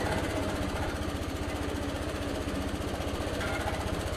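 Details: Old Suffolk Punch 43S lawnmower, revived after being bought non-running, cutting grass: fast, even single-cylinder thumping holds steady without misses; normal running under load, later cut out from lack of fuel, carb clean probably still needed.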